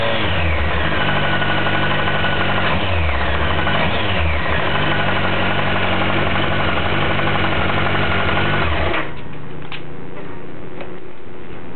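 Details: 2007 Kawasaki ZX-14 with 500 miles, stock: steady knock about four per second at idle, blurring as revs climb; owner suspects bottom-end rod knock, dealer calls it normal for the model; not confirmed.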